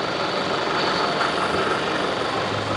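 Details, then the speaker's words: Diesel engine after rebuild with new injectors, tested and adjusted, first start after reinstallation: even, settled idle with a steady low rumble, no knocking or hunting; healthy normal idle. "เสียงเครื่องยนต์เพะเลยนะครับ"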